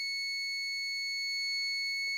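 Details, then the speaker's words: Brand-new APC Back-UPS Pro 1500VA (BX1500M) starts up and cycles through its self-tests, then sounds a continuous high-pitched fault alarm. Manufacturer support said the whole unit must be replaced. "After spending about 20 minutes on the phone with APC Schneider Electric support, I found that this is a problem that that can only be re be fixed by replacing the entire backup battery unit."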